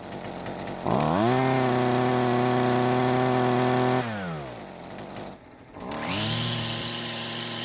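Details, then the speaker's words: Husqvarna two-stroke string trimmer, previously barely kept running after carb adjustments: buzz climbs, holds a wavering high note, sags and drops, then picks up again; runs rough and won't hold full speed, before repair. "it runs however it's not running very smoothly"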